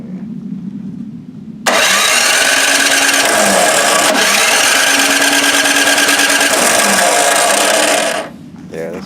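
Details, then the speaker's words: MTD snowblower engine with rusty, dirty fuel tank of unknown liquid: starts on the first pull and holds a steady, even buzzing run about six seconds before shutting off; healthy. "oh yeah that thing will start by first pull"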